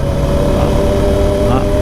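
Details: 2019 Yamaha YFM 700R Raptor quad on knobby off-road tires ridden on asphalt: steady droning hum over engine and road noise, the knobby tire howl that makes people turn around.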